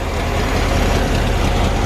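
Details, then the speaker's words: Air-cooled VW Bus first start after new gas line: steady, even low-pitched idle with a smooth regular beat, no knocks or misses; idling healthily despite fuel leak at the fuel pump. "But yeah, look at it. It's just sitting there idling."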